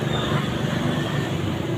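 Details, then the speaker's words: LG 15kg washing machine after drum bearing replacement (6205 outer bearing): low, steady drum rumble during spin test, no grinding or knocking; smooth, normal spin. "Belum kita pasang nih, putarannya udah stabil, halus, tinggal kita tutup, udah siap untuk dipakai."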